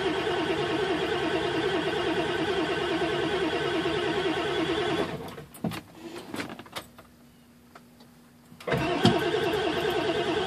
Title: Obs 7.3 crank no start